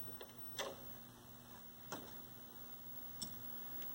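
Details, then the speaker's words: 1973 Toshiba C321 13-inch hybrid tube/transistor colour TV after installing new tubes, signal generator connected: faint sharp snaps about every 1.25 seconds over mains hum; high-voltage section sizzling. "I hear the high voltage going sizzle, sizzle, sizzle."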